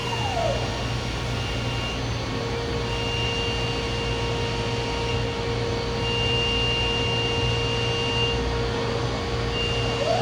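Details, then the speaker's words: DMG Mori Seiki DMC 1035V vertical machining center, spindle replaced within the last 4–5 months, machine runs daily and has only cut aluminum: spindle at 10,000 RPM gives a clean steady high-pitched whine with no grinding or knocking, in excellent condition. "This is 10,000 RPM, and you can hear the high-pitched sound. Excellent condition."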